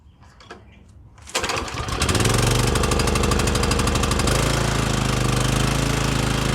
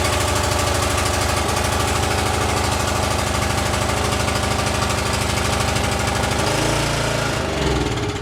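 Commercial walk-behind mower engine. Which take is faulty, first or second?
second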